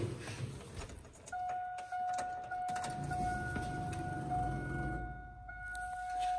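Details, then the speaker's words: 2002 Chevy Silverado with an intermittent crank-but-no-start and no stored codes. Fuel pump energized with the key on gives a steady, louder, low-pitched whine typical of a failing fuel pump. "you've probably heard that it's definitely a louder low-pitched the type of fuel pump noise that is common with a failing fuel pump"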